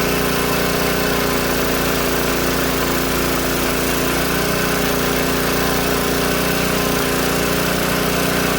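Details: Old Tecumseh-powered generator revived after years outdoors in rain and snow; restarted after stalling with fan load, loud steady drone at constant speed, no surging, misfire or knocking; only needs a little carb tuning once warm; outputs 115 V; normal running.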